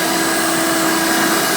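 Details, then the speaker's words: 1990 Hoover Elite 200 U4467 direct-air upright with its attachment converter fitted: a steady high motor whine with a thin airy hiss. Air is leaking around the poorly sealed converter, reducing tool suction. "this thing isn't sealed too great so that is another reason why this doesn't have very good tool suction"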